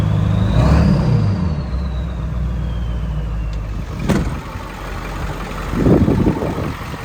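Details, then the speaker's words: 7.3 Powerstroke diesel truck, engine with around 200,000 miles: deep, steady diesel clatter with a low even beat and a brief rev. Sounds healthy; owner suspects the intake restricts under throttle. "So, we tested this truck. Probably drove it around 20 miles now. Um the motor has absolutely no blow blowby."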